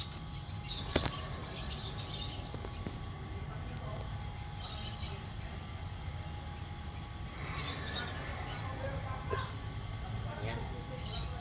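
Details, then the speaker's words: Nissan NV350 commuter van that hums when driven at 3,000 rpm; wheel off, pads removed, hub turned by hand gives a loud steady dull hum with faint ringing: worn front wheel bearing, replaced along with the differential bearing. "Malakas yung ugong niya. Yan. So dalawa papalitan natin din mga boss."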